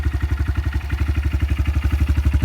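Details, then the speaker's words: 2022 Honda CRF125F single, nearly new with only a couple minutes of running, warmed up a little; quick even low thumping about ten beats a second, perfectly steady, no knocks or ticks: normal idle. "It's been running a little while now, so it's not super brand new, but it only has a couple minutes on it."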